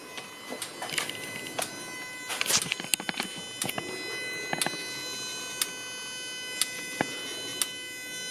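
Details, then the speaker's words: Jaguar AJ30 V6-powered Gilbern restomod, injector one on ECU slow-toggle output test: sharp single ticks about once a second over steady electrical hum; part of diagnosing an odd fault. "And that sound, the ticking sound is injector one. Slow toggling."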